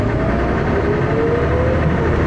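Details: First Manchester Dennis Arrow bus 31923, recorded onboard with a phone: heavy, rough diesel drone with a coarse rattling thrash running through it; engine knocking, cause unknown.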